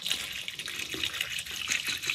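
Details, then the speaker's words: Harbor Freight ultrasonic cleaner running uncovered with distilled water and distilled white vinegar solution, for Mustang engine parts: harsh hissy high-pitched sizzle with no low rumble, normal cavitation; fitting the lid reduces it. "I don't like that sound oh that was sketchy I guess that's why they give you a lid because it makes that really high pitched frequency"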